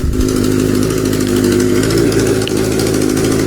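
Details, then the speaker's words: Kawasaki Z650B in restoration, previously not running on all four cylinders, blamed on one carburetor: starts and settles into a smooth, even multi-cylinder idle with a steady beat and no misses; now running on all four cylinders. "double fingers crossed I think he's running on all four cylinders let me check yeah wow I think it's running okay now"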